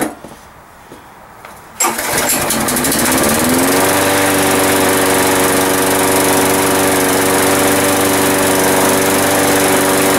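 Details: New 190cc replacement engine on Sensation commercial mower, first start after adding 20 oz oil and gas, primed: a couple of quiet pulls, then it catches, revs up and settles within two seconds into a smooth, even run; healthy.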